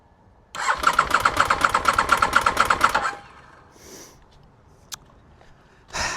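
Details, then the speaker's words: 2001 Aprilia RST 1000 Futura, in neutral with a little fuel in the tank, choke use uncertain. Starter churns quickly and evenly at about five beats a second for some two seconds but never catches: cranks, won't start. "Not successful. She's turning over. That's a good sign."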